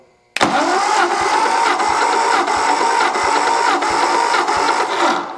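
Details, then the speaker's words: 1964 Ford F250, 223 six, rechecking compression cylinder by cylinder after running: steady starter whine with strong, even compression beats about every 0.7 s. Compression much better than when first started. "I'm gonna check the compression one more time since I had the thing running, see if it made any difference."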